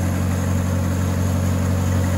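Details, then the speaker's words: 1977 Ford Mustang II engine first running after sitting 25 years, on race fuel with WD-40 and mystery oil in cylinders, smoking; smooth, steady low idle with an even rumble and no knocks or ticks; engine running healthy. "Thing sounds actually pretty good. Yeah. She's smoking."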